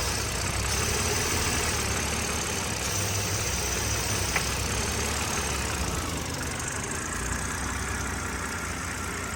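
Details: BMW E60 with N52 inline-six at idle, steady hiss from the intake manifold area with the oil filler cap open; owner suspects a blown PCV valve, and the PCV-to-oil-pan return hose leaks oil.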